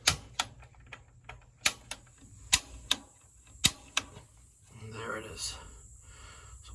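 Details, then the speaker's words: Gas water heater after the gas control valve was replaced: pilot set, black button held, piezo igniter pressed repeatedly. Sharp igniter snaps about a second apart, then a soft whoosh as the pilot catches. Normal pilot ignition after repair. "all right let's light the pilot we have a new gas control valve set the pilot we're going to push down on the black button we're going to take that piso igniter hit that multiple"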